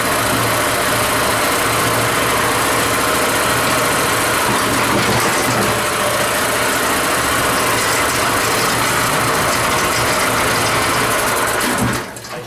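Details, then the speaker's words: Old tiller small engine, revived and first run after rework with tines raised: steady, even constant-speed running with no misses, knocks, surging or smoke until shut off; running healthy. "That's running that good. It hasn't farted or complained or smoked nothing yet. I can't believe it."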